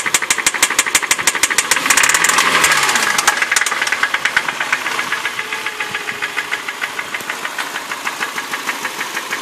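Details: 2006 Hyundai Sonata engine idling with a loud, steady top-end clicking about three times a second; began after running low on oil, worsened after oil and filter change, and got noisier with an engine stop-noise additive. Cause unknown.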